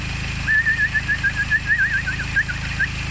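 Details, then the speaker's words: Diesel engine idling with a high warbling chirp, higher pitched than diesel knock and pulsing a few times a second; a dry tensioner pulley bearing. "It's a little bit more high pitched than the diesel knock, and it has a little bit of a frequency to it."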